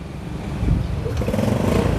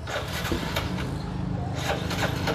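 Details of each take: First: Used Yamaha Sirius motorbike, fuel poured straight into the carburetor float bowl, battery weak; an uneven popping, sputtering putter that then smooths out to a quiet, even idle. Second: Used Yamaha Sirius small single with a slightly weak battery. It putters along at an even idle with a few light clicks, picking up slightly: the engine runs healthy.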